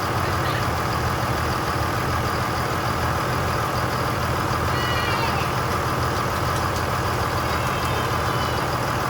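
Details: 2002 Dodge Ram 2500 24v Cummins diesel, just reassembled and first started after bleeding fuel at the injectors: even diesel clatter at steady idle, no knocks or misses, good oil pressure; normal idle.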